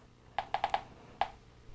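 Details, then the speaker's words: U-Teck Gas-Trac gas detector, on and warmed up, with a cover fitted over the sensor before gas flows: sharp crisp high ticks, tick rate adjusted to about one per second; normal clean-air baseline ticking. "place it on there all the way until all the ports on the sensor housing are covered with the unit on and the tick rate adjusted at about one tick per second"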